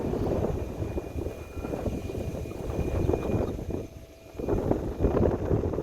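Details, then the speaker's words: Ditch irrigation pump with foot valve, outlet valve cracked slightly open during priming; uneven surging churn that dips then grows louder as trapped air purges; air-bound pump not yet primed. "So if if I crack that valve open just a little bit, you can hear it starting to purge the air out, and you can hear the pump is starting to fill up. You can hear the pump's getting a little bit louder and louder. It's got some air trapped in it,"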